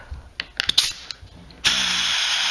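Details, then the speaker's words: Harbor Freight pneumatic reciprocating saw that had stopped working, run after adjusting an Allen screw and adding oil. Air hisses loudly while the saw runs sluggishly and unevenly, still stalling at the bottom of every stroke. "well it's not any better now it stops at the at the bottom of the stroke every time"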